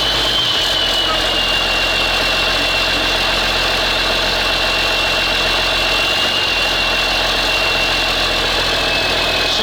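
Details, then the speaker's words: Abandoned ZIL-4975 truck, first start after priming the oil: a steady, even idle with a light hiss, no knocks or misses, whisper-quiet and no smoke at all; the engine runs healthy. "блин, шепчет. Дыма нет вообще."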